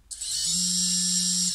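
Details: Xing 2207 brushless FPV quad motor after replacing bearings with EZO 684ZZ 9x4x4: clean, steady high whine that spins up evenly without rasp or wobble; new bearings running smooth.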